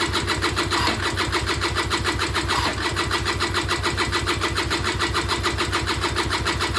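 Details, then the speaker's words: Peugeot Speedfight 2 100cc two-stroke scooter with Leo Vinci exhaust, bought unseen at auction and long unused: steady starter churning with no firing; cranks but won't start despite confirmed spark, with the carburettor slowly filling with fuel. "Let's just give it another go. Nothing. So I know I've got spark, I did check that."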